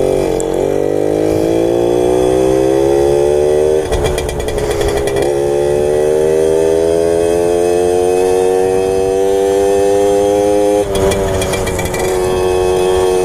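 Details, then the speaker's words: 1997 Suzuki JR50 50cc two-stroke kids' dirt bike, restored, riding at under about 20 mph: revs climb steadily, then stutter and break up near the top before picking back up; owner suspects mixture/jetting slightly off. "breaks up at the top end but every so often it picks back up so it mixtures probably a little off"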